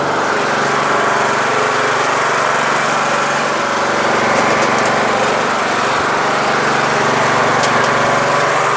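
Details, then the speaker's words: Troy-Bilt Super Bronco lawn tractor with Intek engine after carburetor replacement to cure rough running: even, steady drone at constant speed with no misses, hunting or surging; normal running. "sounds good sounds good fuel shutoff just in case"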